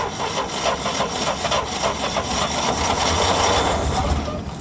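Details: International Harvester Scout 80 barn find (1961/1964) that sat nearly 20 years, gasoline fed by electric fuel pump from a cup, weak battery. Rhythmic cranking at about three and a half beats a second briefly rises as it nearly fires, but won't keep running.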